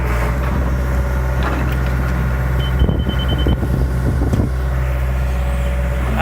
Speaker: Fast beep means it's too high, slow beep means it's too low, solid tone means we're just right.